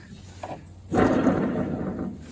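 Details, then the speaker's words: Idler pulley under a 2012 Toro zero-turn mower deck, spun by hand: a rough, gritty whir that fades as it slows, with slight wobble; the worn bearing likely needs replacing. "that makes a noise so that's more than likely going to be replacing there is a little bit just a little bit of wobble with it"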